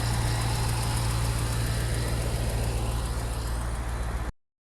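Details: C5 Corvette V8 after replacing worn A/C tensioner and idler pulley bearings that caused squeaking and chattering: steady, even idle with a smooth low drone, no squeak or chatter from belt or pulleys; normal belt drive.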